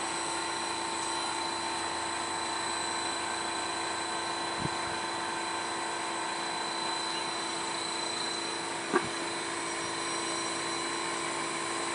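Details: Fujitsu split-system air conditioner outdoor condenser on a level steel frame: steady loud fan rush with fixed hums and faint ticks, unusually noisy; factory suggests weak frame or insufficient wall/ceiling clearance, owner doubts.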